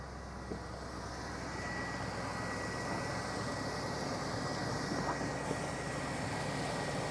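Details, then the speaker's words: 2002 Cadillac Escalade V8, about 20 years old, bought cheap for repair; soft, steady rumble with no knocks, misses or rattles. Normal, smooth idle. "to her she sounds good man"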